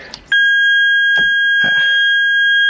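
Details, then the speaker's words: Wrecked Ferrari 430 Scuderia, first start attempt after purchase, pressing the red start button: only a single steady warning beep with no crank. No start; a car reset didn't help, and the kill switch and its key are being checked. "magic red button it's not working uh Houston we have a problem"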